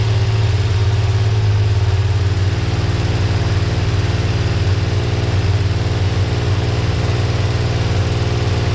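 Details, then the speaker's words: Honda CBX1000 six-cylinder, first run, with unrebuilt carbs, idle not yet set: a quick, light ticking over the idle, too fast and shallow for rod knock; owner suspects the top end of cylinder four. "so looks like it's cylinder number four that's making the sound so doesn't sound like rod knock it doesn't seem deep enough seems like it's a very fast pace so something top end would make sense"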